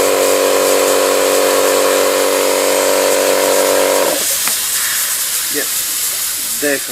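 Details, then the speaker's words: Small air compressor not holding pressure: steady motor whine for about four seconds, then it cuts out leaving a constant hiss from the pressure switch, not the tubes; air leaking through a torn pressure switch rubber diaphragm. "broken you can hear it's coming from there it's not the uh tubes the tubes are fine so I've got to remove this precious switch"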